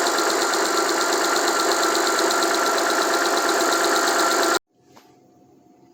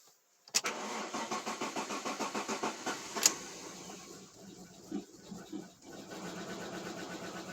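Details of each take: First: Alfa Romeo 156 Busso V6, first start after two to three years sitting, fuel system bled; even, busy idle holds with no stumble or heavy knock, then cuts off cleanly; runs properly, only minor faults noted. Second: Alfa Romeo 156 Busso V6, first start after about three years with the fuel lines briefly disconnected: about a dozen even starter pulses, ragged firing while air clears the fuel system, then it catches on all six cylinders.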